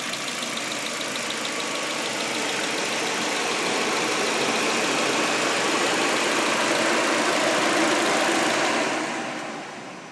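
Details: Audi A4 idling with a faint quick tick, 3–4 per second, quieter after timing was checked and lined up. Check engine light remains despite a new cam sensor; owner suspects bent valves or a bad chain tensioner.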